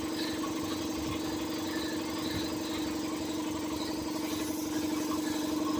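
Steady idle with a hard, uneven rattle of about two beats a second riding over it; the A/C compressor sounds noisy, cause unclear.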